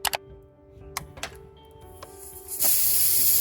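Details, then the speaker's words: Car tire punctured by a nail, noticed after driving about 2 miles, during plug repair: tool clicks, then a sudden loud, steady sharp hiss of air escaping at the puncture. "I already moved like 2 miles, then I heard this sound and I came out and I saw that this tire was punctured."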